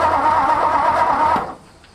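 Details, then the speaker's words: 1964 Ford F250 dump truck, sat over a decade, in neutral, brake clean sprayed in, fuel line primed, points uncleaned: starter churns steadily about a second and a half, then stops, never catching; cranks but no start, no spark. "definitely no spark i want to try it one more time down here to the hard line which goes up to the carb"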